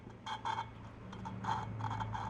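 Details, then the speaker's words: 2005 Honda TRX450R cylinder head rebuild: short, gritty rasping strokes about every half second as a valve is lapped into its seat by hand, using lapping compound mixed with a little oil, aiming for a nice even seat line. "that's basically it's sand it's a it's at a Grit that's all it is to it"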